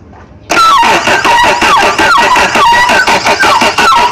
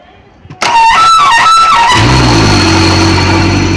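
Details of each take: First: Suzuki outboard on speed boat, fuel primed: loud starter cranks in steady pulses about six seconds but engine never catches; cause unconfirmed, possibly flooding. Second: Suzuki outboard on a speedboat that would not start: after starter relay/wiring checked and cable fixed, starter whirs about a second, then it catches and settles into a steady even idle.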